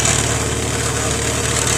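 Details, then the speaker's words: Idling engine at exhaust pipe joint: fast light puffing tick and metallic buzz where a loosened clamp lost its seal, leaking exhaust and letting parts rattle. "Со временем зажим ослаб, и соединение потеряло герметичность. В результате в этом месте начала происходить утечка выхлопных газов, из-за чего детали стали дребезжать друг о друга."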